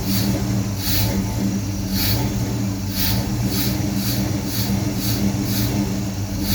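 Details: Holley Sniper EFI with HEI: low, lumpy idle with an uneven pulse about once a second and a wavering drone, running rough with no power after a loose O2 sensor was tightened. Rerunning the wizard, checking grounds and vacuum leaks, more coolant enrichment and disabling closed loop did not help.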